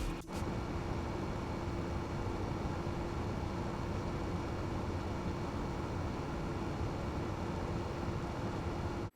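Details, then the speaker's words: T-8280 preheating plate after replacing its whining 40mm fan with a Noctua NF-A6x25 5V 60mm fan, set to 33°C: steady even fan whoosh and soft hum with no whine. "There you go, so it definitely worked. Let me say this, yes, I'm happy with the outcome. You know, it's nice not to have that horrible whining noise in the ears, even though I have to say it was a audio cue that the plate had reached temperature."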